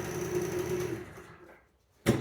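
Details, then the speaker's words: 2014 Genuine Roughhouse 50 two-stroke 50cc scooter, long neglected, first start with kill switch on Run and brake engaged: high, buzzy two-stroke drone holds about a second, fades, then a sharp clunk. The engine starts and runs briefly. "well it turns out we've got a running scooter with a 50 battery oh that's a pretty good day"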